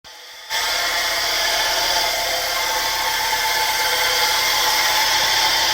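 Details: 1984 Mercedes 190E: steady high whirring hiss in the engine bay once running, mostly treble with little low rumble; whirring noise, source unclear.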